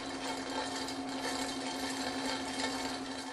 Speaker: this is an unmistakable sign of cavitation cavitation is the formation and subsequent collapse of bubbles inside the pump's casing during operation